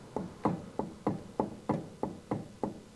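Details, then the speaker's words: Harley Electra Glide Ultra Limited on a jack, rear wheel off the ground; rocking the wheel side to side by hand gives a dull clunk at each push, disc moving separately from the ABS drive on the axle; worn rear wheel bearings with free play. "It's that movement side to side. There it is. Oh my goodness. Listen to that."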